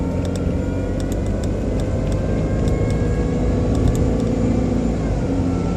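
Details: BMW 120i E87 running: thin constant motor-like whine over the engine, seemingly from behind the airbox; oil change did not cure it, cause unknown.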